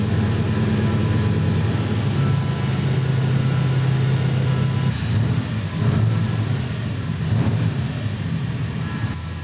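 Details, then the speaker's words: 383 small block Chevy V8 with noisy gear drive: fast steady idle with constant gear whine over the lope after previously refusing to idle; owner suspects carburetor secondary screw needs turning down. "This thing would not idle, and now it's idling high."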